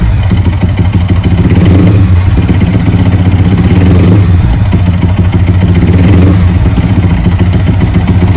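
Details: Bored-up Yamaha R15 V3 that is hard to start on a borrowed battery, with starter gear or one-way clutch broken and compression suspected lost: a lumpy single-cylinder idle with a hollow clattering knock. The source of the knock is unconfirmed.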